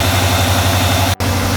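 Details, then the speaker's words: 1992 Ford F-150 farm truck, started with a screwdriver: a smooth, steady burble at idle with a regular low pulse and no ticking or knocking. It runs and sounds decent. "the frame a bit rusty but not falling apart it runs and sounds decent"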